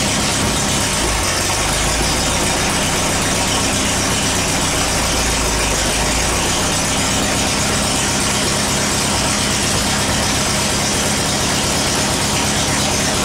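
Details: Air-cooled VW after transmission work: loud, steady engine note, no crunch or grind; shifts through all four forward gears and reverse.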